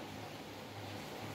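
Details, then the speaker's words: Brastemp mirrored-front microwave plugged in and running: heavy, steady low hum that never changes, and it doesn't heat. Fault is on the high-voltage side of the transformer. "tá roncando e não esquenta beleza tem um teste que eu costumo fazer quando ele tá roncando assim o defeito tá na parte de alta"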